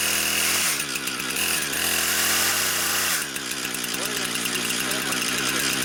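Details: Brand-new Husqvarna 460 Rancher chainsaw on its first-ever run: high, steady buzzing note that holds even through revving, with no rattle or misfire; clean-running saw.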